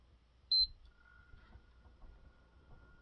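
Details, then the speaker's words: PlayStation 5 Slim at boot-up and idle: one short high beep at switch-on, then a faint steady fan whir, about as quiet as the original PS5 or slightly quieter; normal boot-up and idle. "so I'd say overall um the idol fan noise is about probably the same as the PS5 fat maybe a little bit a quieter"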